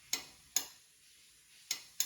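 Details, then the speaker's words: Panda 3.5 cu.ft. portable dryer (PAN760SF), about 4.5 years old, not turning on; after fitting a new door switch, four crisp clicks in two pairs as the door shuts: the new switch actuates properly, unlike the old one. "we're good to go shut the door you can see it click"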